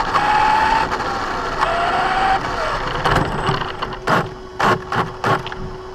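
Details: Brand-new Basher Nitro Circus 4x4 1/10 RC truck on a 3S 4000mAh battery: motor whine climbs with throttle, with harsh gritty grinding bursts on each forward punch. Only when accelerating, not in reverse or off the ground. Gear mesh adjustment didn't fix it.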